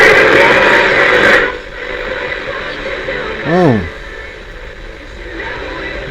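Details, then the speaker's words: 1957 Bush VHF64 valve radio during capacitor replacement, on FM with the aerial connected: a harsh, garbled broadcast buried in hiss, then a swooping whistle. It sounds dreadful, picks up the same station twice, and medium wave also crackles. "sounds Dreadful but it's FM"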